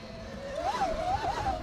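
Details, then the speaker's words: 2026 Tork Pro Sport electric dirt bike (72V 45Ah battery) riding through a sand section in a lower mode, tires spinning: clear whining howl from the motor drive that climbs and dips with throttle; rider unsure of cause. "That's really loud. I don't really know what causes that. Next time we do that, I'm gonna go through it in 3, which it might just be louder."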